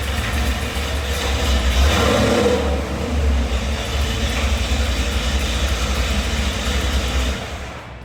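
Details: Ford F-150, first test drive after the transmission was rebuilt to fix a 2nd-gear grind: engine pulling under load with a steady whine over it in second gear. Gear whine in second gear; transmission must come out again.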